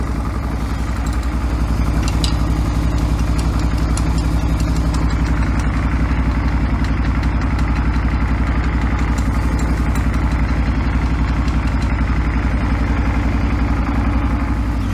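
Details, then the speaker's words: 2008 Suzuki V-Strom 650 V-twin, first run of a replacement engine with unknown history: steady, even low thump at idle with no misses or dips, spitting a bit out of the exhaust. Normal idle. "Well, that sounds pretty good. Sounds nice."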